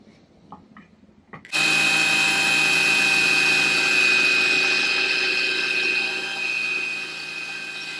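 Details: CNC1310 desktop router, modified with encoders on its stepper motors to stop step-out, cutting steel on a Fusion360 toolpath: steady high cutting hiss with a fixed bright tone, even and unbroken under load; normal smooth cutting.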